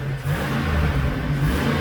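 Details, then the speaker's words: 2006 Hummer H2 (also called 2007) 6.0 V8, 144,000 miles, earlier exhaust leak gone: deep, smooth V8 rumble holding steady under light throttle, no ticking or exhaust puffing; healthy normal engine running. "that's a healthy six liter right there folks that's a good old motor they are so hard to beat"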